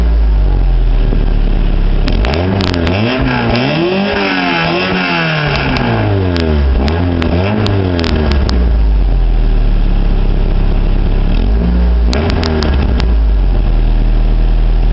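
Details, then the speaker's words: 1991 Honda Accord EX Coupe, 262,000 on the clock: repeated throttle blips give a loud raspy exhaust note falling back to low idle; several exhaust leaks, sounds stock at idle and under 3,000 rpm. "you can hear it is leaking a bit but I think it sounds pretty good actually"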